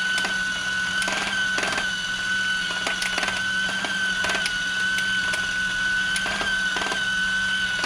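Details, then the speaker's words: Discovery Mindblown 4-cylinder model engine kit running on its electric motor after assembly: steady high motor whine broken by irregular sharp clicks every second or so, the drive gear skipping teeth. "My gear is skipping a little. I'm going to see if I can fix it."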